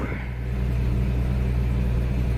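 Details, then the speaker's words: 1987 Jeep Comanche, AMC 4.0L, 115,000 miles at purchase, finally running after a month sitting, following fuel tank, fuel pump and filter work: steady low even rumble, no misses, knocks or surging; normal running. "So, after a month of this truck sitting here in my driveway and the entire internet telling me I was wrong in my confident diagnosis of the fuel pump, it is finally running."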